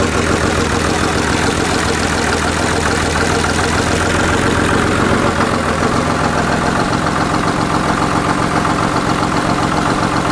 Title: 1999 5.9 24 valve cummins. First start after rebuild.